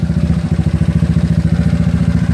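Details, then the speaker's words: GY6 scooter with OKO PWK 30mm carburetor, warm after about 50 minutes running, after idle and mixture screw tuning: even single-cylinder putter, steady with no stumbles; idle now smoother, normal idle. "far everything sounds a little bit more more smoother"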